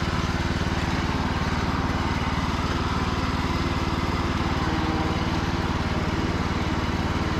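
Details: Free Cub Cadet lawn tractor, sat over 3 years, after charging-system repair, final test run: steady, even low thump at a constant speed with no misses or knocks; engine healthy.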